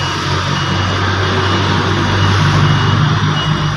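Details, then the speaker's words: Hyundai Accent electric power steering (EPS) motor after repair, bench-run on direct positive/negative power: an even low hum with a steady whir and no scraping or clicking. The motor spins smoothly and at good speed. "Yan guys, sakto-sakto ang ikot. Yan, matulin."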